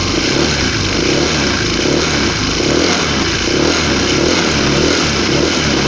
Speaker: Dengeran kan suaranya krok krok krok krok